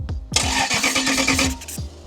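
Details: Racecar engine, not run in five years, freshly self-wired after a 4-gauge feed was run to the starter: quick rhythmic churning of the starter spinning the engine for about a second, then it stops; normal cranking.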